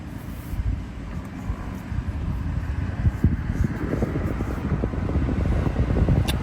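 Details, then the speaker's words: 2017 Hyundai Tucson 1.6L turbo, first start attempt right after replacing the fuel sending unit: the engine churns with a rough, uneven rumble that never settles into idle. Hard start. "Well, this is not promising. Tried to start it up right away."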